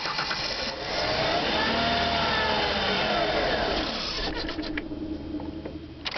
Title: Hard Start 2 3 2010